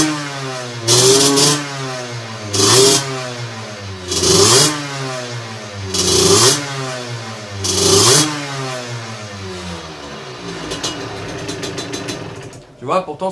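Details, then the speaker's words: Engine with 17.5 mm carburettor on a test bench, cold engine, needle deliberately set far too rich: five throttle blips about two seconds apart, revs swell with soft blubbery burble instead of crisp pickup; mid-throttle mixture too rich. "donc là je n'ai mis volontairement beaucoup trop riches je vais leur montée sur la machine sur le banc et je te montre ce qui se passe tu vas voir que c'est pas terrible"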